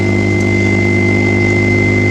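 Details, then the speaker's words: Mitsubishi 3000GT VR4 with new radiator, fan shroud, alternator and relocated battery, not run in a while, weak battery, idling after the alternator picks up: steady even idle, low drone, faint fixed high whine, no misses or knocks; runs fine. "I haven't ran this baby in a while, but once it gets picked up by the alternator, it runs nicely like you see now."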